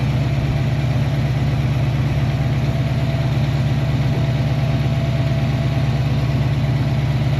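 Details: Foxbody Ford Mustang V8 at warm idle with fans on, coolant dropping from 199 to about 186°F, oil pressure 47–48 psi, good fuel pressure; even, steady low rumble with no misses, ticks or knocks, healthy.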